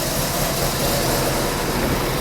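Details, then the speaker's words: 1994 Alfa Romeo 33 Imola, 1.4L petrol boxer (90 hp), 112,000 km, after fixing bad plug wires and ignition coil. Busy but steady flat-four rattle at idle, no misses; much more stable now, a normal boxer racket. "and this is the normal workings of a of a boxer engine it's a racket always a boxer engine is always noisy but now the engine is a lot more stable a lot more stable"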